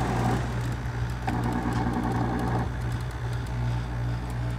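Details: 1982 Hotpoint (GE Fashionaire) 9,700 BTU window air conditioner running: steady low hum with coarse rattly drone and faint fluttering from the fan side; excessive running noise, compressor mounts suspected; runs fairly quiet and blows cold.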